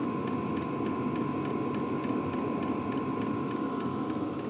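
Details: LDHTHOPI diesel heater, about three minutes after start, temperature setting mid-range: steady fan rush, light hum, soft fuel-pump tick about three and a half per second; normal running.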